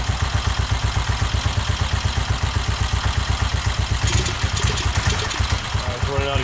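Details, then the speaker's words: 1969 BSA Starfire single, first start after over 15 years, new carburetor cable, idle mixture screw 1.5 turns out, 5100 miles on the speedometer: strong even thumping around four beats a second, steady and firm; runs healthy, fired up easily. "um I don't know if you can hear everything I was saying over the engine uh it's very possible that that 5100 miles on the speedometer could very well be accurate um the engine sounds really good for it to fire up that easily"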